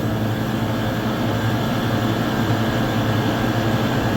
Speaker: So far so good. Oh, that sounded really good. That was a smooth startup.